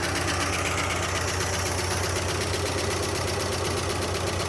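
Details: 1976 Dodge D100 Club Cab Adventurer, parked 13 years, first start: loud, fast, uneven ticking valve-train clatter over idle, about four per second, like dry lifters; zero oil pressure; owner suspects bent pushrod or bad lifters.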